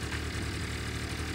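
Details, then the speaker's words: Honda Lead 50 scooter, five years old, in its fifth season, cold start on the electric starter. Compression was measured and the plug was changed. A low, even putter with no knocks or stumbles settles into a healthy idle. "замерил компрессию поменял свечку вот за четыре года сейчас пошел уже 5 сезон вот он так должна заводиться"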